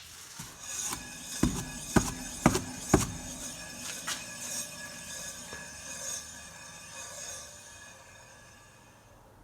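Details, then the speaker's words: Rear hub of a Lada 2107 (Russian "seven") after fitting new, greased, adjusted wheel bearings; hand-spun wheel coasts quietly with only light brake pad rub, no bearing hum; normal wheel bearing. "как вы слышали что шума уже никакого нету на новых подшипниках тереться только тормозные колодки все новые подшипники но смотрите никакого шума больше нет"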